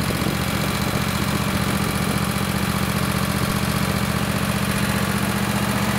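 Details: Craftsman lawn tractor, Kohler 26 hp Courage V-twin, after an ignition coil conversion kit fixed running on one cylinder. A strong, regular low thump at about 2.5 beats a second on both cylinders with no stumbles.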